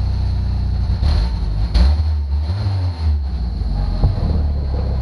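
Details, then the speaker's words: $499 Jeep first start: deep loud raspy four-cylinder rumble at idle with blips, far too open; exhaust needs a muffler. "needs a muffler"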